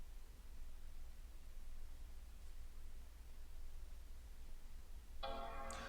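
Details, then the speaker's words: MacBook Air, board 820-00165, after no-power repair around IC U1900, reassembled: quiet fan hum, then a clean bright startup chime as it boots to the Apple logo; normal startup after repair. "we go that's the sound of success Apple logo"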